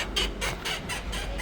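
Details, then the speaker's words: Iveco Daily front suspension being worked: rhythmic high-pitched creaks, about four a second, from a damaged ball joint; all four ball joints to be replaced, rear leaf spring bushings also worn. "E o barulho está vindo desse lado. É o pivô que está danificado."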